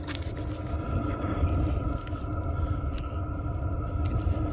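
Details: Diesel heater after repair with new plugs, wiring, fuel line, fuel filter and fuel pump, recorded at the exhaust muffler: low steady hum with a faint even tone and soft rush, no popping or chuffing; runs quiet and smooth.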